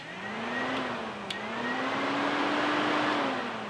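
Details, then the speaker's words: Cooling fans that would not run despite ignition on and the relay powered, after a ground is applied with a Power Probe 3: smooth whirring rises to a steady tone as the fans run normally, confirming a bad ground. "So here's the ground, and we'll apply ground with the power probe. and the fans turn on."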